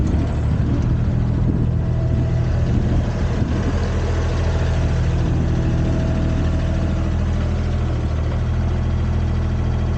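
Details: Used Komatsu PC10-3 mini excavator diesel at low idle, set just high enough to keep the battery charging: an even, slow, steady chug with no knocks, misses or rattles; normal idle.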